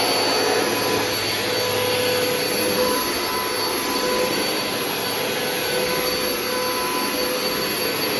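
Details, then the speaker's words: Vacuum running on thick carpet: steady motor roar with a thin high whistle and rough rasping from a brush roll that doesn't spin freely; worn brush roll and shot bearings. "It's, you know, the brush roll, and also the bearings are shot. It really doesn't spin that freely, but, you know, whatever."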